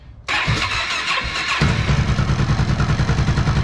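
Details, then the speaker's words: 2011 Honda XR650L, after top-end repair for a tapping noise with decompression spring pin removed, following sitting about two years with stale fuel: fires first try on choke, settles into steady even thump of three to four beats a second, no tapping. "oh wow doesn't that sound beautiful"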